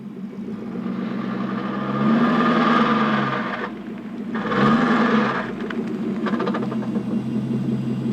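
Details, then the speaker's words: Porsche 928S in reverse when cold, after sitting 4 hours and idling about a minute: fast, rough ratcheting clatter like a roller-coaster chain lift, swelling twice, absent when warm or in forward. Present for 3 months, later said to signal transmission failure. "To me, it sounds similar to well, a roller coaster going up a chain lift."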